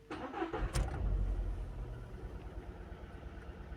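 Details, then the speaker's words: Skoda engine at start-up with P0300 misfire and a blinking check engine light: cranks and catches, then settles into a lumpy, stumbling idle; the cylinder misfire is caused by a bad ignition coil. "When I wanted to start the car, there was a misfire. And now I'm going to show you what it looks like in a real life situation."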